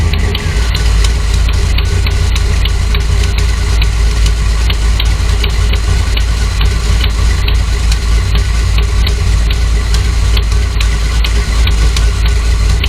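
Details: Dodge Dakota R/T with a 408 V8 and shaker hood at idle: light, regular tick two to three times a second; a new noise the owner suspects is valve lifter tick, not confirmed.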